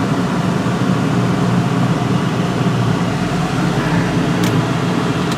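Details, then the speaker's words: 1998 Ford Mustang GT, about 132k miles, PI heads, idling with the A/C compressor running: steady, even low rumble with a smooth fan-like hum and no misses; idle slightly raised by the A/C load, normal. "i know i check engine lights settles into a nice idle a little higher now with the ac on and compressor going"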